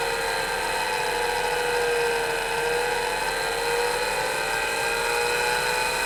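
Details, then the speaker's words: MiniScribe hard drive in a 40-year-old IBM 5161 expansion unit on an IBM PC 5150, mic close to the drive: thin whine wandering up and down in pitch as the spindle slowly runs up to speed, then settles. "well that was a bit strange it takes the spindle a while to run up to speed but you can hear it varying speed until it sort of steadies"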